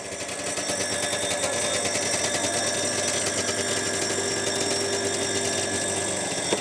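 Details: Two-stroke snowmobile first start after carb cleaning with fresh fuel: steady fast idle buzz with a light irregular rattle on top, attributed to the recoil starter rather than the engine.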